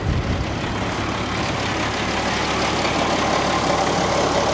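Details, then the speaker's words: Salvage-auction car started with a booster pack: steady, even idle with a smooth low hum and no knocks, misses or whine; sounds very healthy. "she sounds good right it does it sounds very healthy very healthy"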